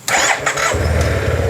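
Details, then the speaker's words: Neglected Yamaha TMAX maxi scooter under restoration, jump-started from a portable booster battery with little fuel in the tank: quick crank, catches and settles into a steady even idle, really quiet, no apparent oil burning; normal start. "So let me give you how it sounds like. Really quiet, doesn't seem to burn oil."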